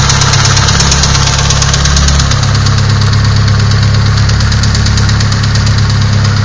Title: sr20det knocking sound